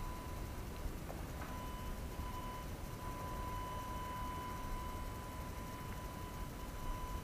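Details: AFI VS-3SG 3-axis handheld gimbal, low-cost, recorded at night with no surrounding sounds: thin, steady high-pitched tone over near silence; gimbal motors whine loud enough to be heard in recorded video.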